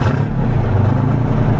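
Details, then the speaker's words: 1973 International Transstar 4300 with a 12V71 Detroit diesel, sitting since 1986, revived: the engine revs cleanly to its 2100 rpm governed speed, a deep steady roar with no misses or knocks. Alternator charging, tach working, running issue believed fixed. "She's governed at 2100. That seems right."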